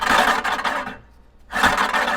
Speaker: you can hear it doesn't sound smooth I can hear something over here not hting if it's when it's settled down and it's all filed and touching and working in on this right where it's supposed to be you'll hear nothing but metal scissors all the way across right here